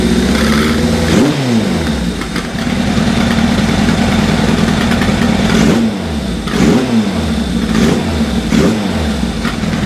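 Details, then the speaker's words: Engine at first start-up, no rev counter fitted yet: blips up and drops back to a lumpy idle with crackles as revs fall; popping on the overrun, cause unclear. "it's fueling when you rev it oh no it's blue you probably just hear it popping"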